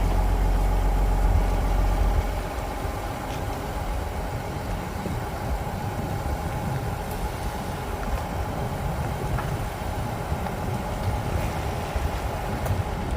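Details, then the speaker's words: Pickup truck, camera mounted outside at the rear while slowly circling a roundabout: only a steady low engine hum, with no creak or squeak from the rear leaf springs; the earlier suspension noise is gone or greatly reduced. "Okay, so there you have it. I could not hear it at all from the inside. So if you heard anything from the outside, it's not the noise I'm hearing, or it's been reduced so much that it's no longer making it into the cab of the truck."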